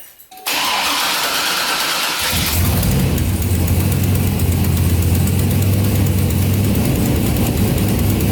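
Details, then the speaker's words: Turbo Escalade V8 with 5-inch Duramax exhaust cranking, firing and settling into a deep idle: light ticking through the exhaust note from exhaust leaks in a lower section of the exhaust. "it does have some leaks i can hear it kind of ticking some exhaust leaks coming from this section down here"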